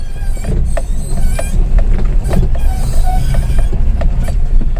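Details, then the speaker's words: 2021 Maruti Suzuki Wagon R pulling away or reversing: heavy low rumble with repeated sharp scraping squeaks; owner believes brakes drag from a defective master cylinder, suspecting a manufacturing defect seen on other Maruti cars. "पिछले दो तीन महीने में चार पांच गाड़ी मेरे पास ऐसी आई है जिसका यह प्रॉब्लम हो रहा है कि यह आवाज आ रही है जब आप निकलते हो तो आवाज"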